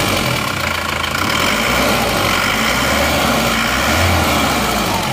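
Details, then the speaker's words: Diesel engine just reassembled after a holed block repair, idling after restart: light quick ticking clatter about four per second over steady idle; tappets noisy, valve clearances to be adjusted next day. "berisik klepnya besok di setel lagi yang penting ini kita coba dulu di jalan"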